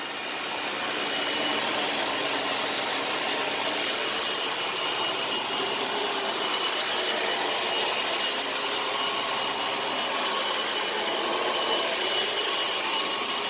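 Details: Dyson DC18 Slim All Floors vacuum made in December 2006, running after its reset button was pressed and the brush spins again: steady high-pitched motor whoosh with even airflow hiss, no grinding or stalling; normal running.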